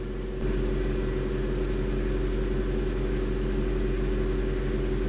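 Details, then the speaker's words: VAZ 2112 after replacing injector seals and filter screens to cure an air leak under the injectors, first start while warming up: smooth, even low rumble at steady idle speed with no hunting or misses; normal idle. "So the engine warmed up during the observation period. I didn’t notice any changes in the idle speed."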